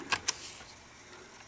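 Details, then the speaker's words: 1989 Pioneer CT-1270WR double cassette deck after belt replacement and head cleaning: two quick mechanical clicks as the auto-reverse head flips on direction change, then soft motor hum; reverse flip works normally. "if you haven't seen this before when you switch Direction see how the tape head just flips over pretty cool so and both of these are working the same way"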